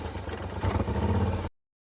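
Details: Polaris Sportsman (850 per title, 570 per speech) before repair, skipping and seeming to shut off in high range: uneven, stumbling idle with irregular dropped beats before cutting out; ignition misfire from worn spark plugs and plug wires, fixed by replacing both.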